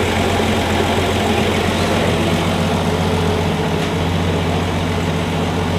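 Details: 1965 Plymouth Valiant 170 slant six, previously stalled after 3-5 minutes from carb boiling due to missing heat riser; after junkyard exhaust manifold with freed heat riser valve, junkyard intake and reman carb: normal idle, smooth unbroken exhaust beat, no misses or stumbles.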